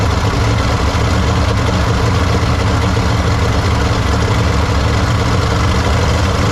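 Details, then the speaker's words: 1953 Studebaker Starliner, off the road possibly 45 years, odometer 38,360 miles, first start after new 6 V solenoid and distilled water added: low, fairly steady idle, slight unevenness, no knocks or misses, no water leaks; still needs plugs, wires, points, carburetor kit. "It's alive. It's not too bad. Don't think it's running pretty even. Not throwing any water out."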